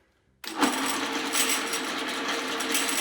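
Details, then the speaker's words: Mitsubishi 3000GT/Stealth 5-speed AWD transmission on the bench with its back plate off, spun by a drill press. A busy metallic rattle over a steady whir comes from the 3-4 synchro slider not staying centered in neutral. In the car, the rattle went away with the clutch pushed in. "when it's lined up completely here for the neutral position it's causing the slider to not stay centered and that's what's causing a noise"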